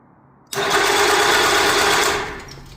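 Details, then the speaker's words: Aircraft starter (Quicksilver prop install) cranking fast, even and strong for about two seconds, then winding down cleanly; the 2-year-old battery had been off the tender about a week and was recharged; starter healthy. "That sounds pretty pretty promising. That That's super strong."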